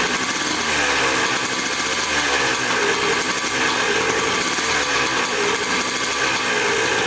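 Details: Dirt bike bought in a four-bike lot, first start after checking the petcock and carburetor and refitting the spark plug: an even, raspy two-stroke drone, steady with no misses or surging; normal running.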